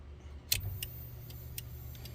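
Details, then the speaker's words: 1986 Chevy Caprice with 5.3 LS swap, 4L60E and cam, cabin: flasher ticks about twice a second, far faster than normal; turn signal hyperflash. "All right. Again, the blinker flashing like crazy."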